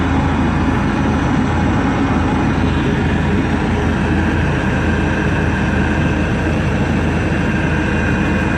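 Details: Webasto parking heater on a 1999 Seat Alhambra 1.9 TDI, after repair: steady, even roar of burner and blower with no surging, popping or rattles; normal operation.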